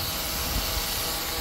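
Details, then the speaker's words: Shark Steam & Scrub steam mop that had stopped steaming, after cleaning the pump and refitting its spring-loaded plunger the other way round: steady, even hiss of steam with no sputter or pulsing, now steaming normally. "all right well this thing is steaming"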